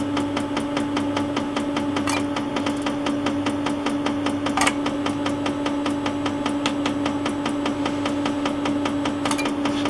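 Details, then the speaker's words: Quantronix Excel Dual Pulse 2000 holmium laser with the covers off, firing into the beam dump with the intermediate shutter open. Even clicks about two to three a second over a steady hum; no error this time. Normal flash lamp pulsing. "Yeah, the laser is firing. The flash lamp is firing. The intermediate shutter has opened."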